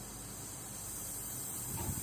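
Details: Car audio preamp model RA305, faulty, powered with no music: steady rain-like hiss with a faint high whistle present from power-on, before repair; noisy preamp stage.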